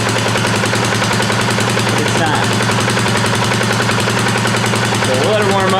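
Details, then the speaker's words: 2018 Polaris Sportsman ACE 570 single after rebuild following mud flooding, at idle, clutch secondary not moving: steady, even thump, no knocks or misses; sounds healthy, a little moisture remaining. "Actually sounds pretty good. Little bit of moisture still in there. That's good."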